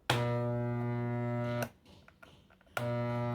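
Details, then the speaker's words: Maytec fan motor powered on with shaft not turning, loud steady electrical buzz-hum in two bursts, no whir; seized shaft, likely from worn front or rear bushings. "Efectivamente, miren, no gira la flecha y hace ruido. Bueno, vamos a checar. Normalmente cuando se amarra es porque los bujes están gastados."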